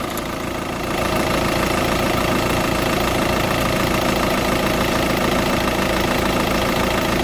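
Diesel idling with a fairly even tick, about three and a half per second, over the clatter; source not pinned down.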